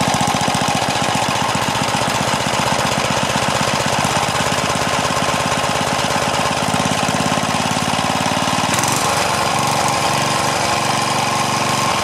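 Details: Craftsman four-stroke edger, Tecumseh engine, after moving governor linkage to correct hole, choke on: fast even firing, steady pitch, no hunting or surging; normal running.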